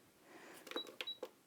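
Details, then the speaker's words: Elna 720 PRO sewing machine with the straight-stitch plate fitted: button clicks, then two short high-pitched beeps as it refuses a chosen decorative stitch, allowing only its nine straight stitches. "so if I go into mode and if you can hear that it's beeping up me he's going that and if I try to choose a decorative stitch"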